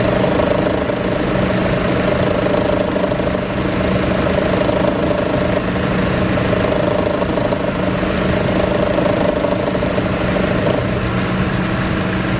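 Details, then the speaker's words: Chevrolet Cruze at idle with A/C on: steady low droning growl with a faint hum, from under the exhaust manifold. It disappears when driving off and persists after a new A/C compressor; exhaust clamps checked; cause unknown. "When you turn the AC on, there's a growling noise, and that's only at idle, and then when I take off it's gone."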